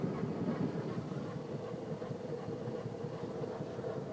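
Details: ST170 making a steady rattly drone with an uneven patter that ignores engine revs; idles, drives, stops and starts fine; noise stops and starts while moving but is constant when stationary; source unidentified.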